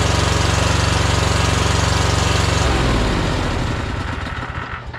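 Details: Troy-Bilt Horse riding mower with no power, one spark plug wire pulled for a cylinder test: steady thumping near four per second, then the engine cuts out and dies; one cylinder suspected weak, possible internal damage, unconfirmed.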